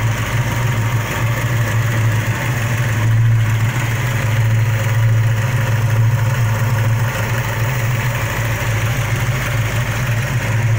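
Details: V8 with 413 aluminum heads at idle: deep steady rumble with a light, fast ticking faintly on top; lifter tick suspected, not confirmed.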